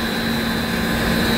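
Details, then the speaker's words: Refrigeration evaporative condenser fans on VFD control, about 50–60 degrees outside: steady low hum, soft whir and even airflow, no knocks or rubs; VFD ramping fans slowly, normal low-speed fan hum. "good the VFD just kicked in which is very good you'd hear the sound that humming sound"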